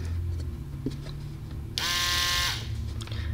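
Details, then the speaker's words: Toyota Corolla EVAP leak detection vane pump, electric-motor driven, powered after reassembly: steady electric whir rising about three-quarters of a second, smooth and even; pump running perfectly. "are you kidding me this is fully functioning vein pump which is ran by electric motor look at this look at this let's just confirm it"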